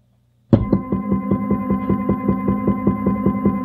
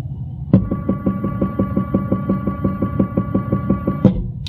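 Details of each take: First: Stepper motor on a step-and-direction drive controlled by a Pico, run at full speed with no acceleration or deceleration: even hum with a sharp knock about two and a half times a second, once per revolution, as the motor jerks. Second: Stepper motor on step/direction drive, 600 RPM for 20 revolutions: crisp evenly spaced stepping pulses over steady whine, starting and stopping cleanly, air-conditioning hiss behind; running normally.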